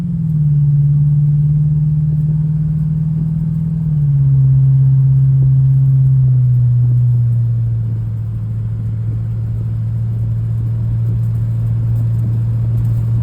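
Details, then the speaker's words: Cadillac CTS-V V8 with new heads, cam and tune, on a road test after the misfiring ignition coil was replaced with one from a Camaro: a deep steady drone easing down as revs drop, smooth with no stumble; normal running. "So, okay. So, we got the CTS-V fixed. I'm taking on a test drive. It's not misfiring anymore."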